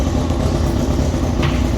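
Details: Formula 4 race car after fuel-leak fix (fuel pump O-ring replaced), very loud: even engine note holding steady without misses, pops or sputters; normal running.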